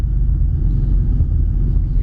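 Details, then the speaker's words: 1986 Pontiac Fiero with swapped Buick 3800 supercharged L67 V6: deep even idle settles back slowly after a rev without hunting; previously surged badly almost to dying and to 2500 repeatedly, now sorted. "it doesn't go into surging and before the main problem before I got it to this point is that it would just surge really bad like almost to dying to 25 200 almost to dying to 2500"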